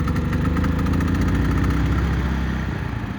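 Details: Brand-new Harbor Freight Predator 3500 generator with new oil and fuel stabilizer, hard to start but passes load tests once running: loud, steady low chugging with an even beat and no misses or surging. It runs normally after starting.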